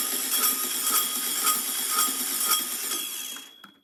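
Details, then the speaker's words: 1967 VW Karmann Ghia engine on stand after 45 years abandoned: harsh whirring scraping grind while cranking, pulsing about twice a second; starter suspected, flywheel looks possibly warped, unconfirmed. "that sounds weird doesn't it what is going on in there it doesn't sound right sounds like something's scraping what is going on that's weird try it again"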